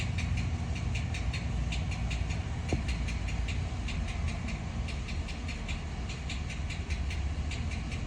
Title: 2014 ram 1500 with 5.7 L. ￼what is making this noise?